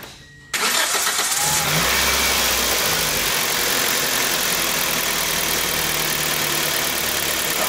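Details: 2004 Toyota Matrix, manual, 111,000 miles, which had an idle problem and fault code after sitting long. First start after refitting the idle control valve, MAF cleaned: brief crank, clean catch, steady even idle with no hunting or surging.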